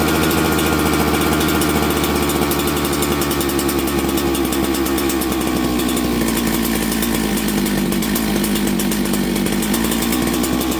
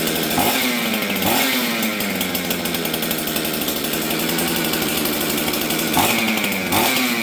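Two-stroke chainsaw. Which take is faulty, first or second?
second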